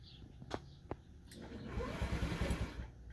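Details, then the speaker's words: 2014 Honda Ruckus 49/50cc scooter left outside uncovered in the rain: a few clicks, then a short whirring crank about three times a second that never catches. It turns over but won't start, and the owner says it shouldn't make that noise. "it's not starting. It's not starting. So I'm gonna turn it off so I don't waste the battery, and I'm gonna use this little trick."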